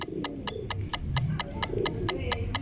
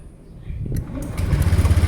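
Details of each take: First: Motorcycle with a failing dry battery that still measures over 12.5 V (13.82 V), before repair; ignition on, it won't crank. Rapid dry relay clicking about four per second with no cranking: the battery can't hold up under load. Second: Motorcycle electric start after repairing a failed dry battery; the first and second start tests. A brief strong starter whir, then a quick even single-cylinder putter: a normal, clean start.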